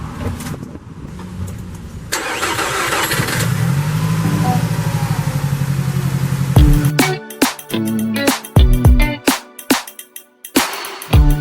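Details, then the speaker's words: 2005 Nissan Altima 2.5L 4-cylinder right after fuel pump replacement, key cycled to prime lines: short crank, catches quickly, settles into smooth steady low idle with no misses or knocks; successful start after repair. "And then let's try to turn it on. All right, there we go, success."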